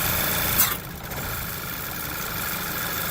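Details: 2010 VW Eos 2.0 TSI with misfires (P0300-P0304), lean trim P0171, intake leak P2279; new plugs and O2 sensor already fitted: uneven idle calms when PCV system blocked off, lambda actual matches specified; vacuum leak.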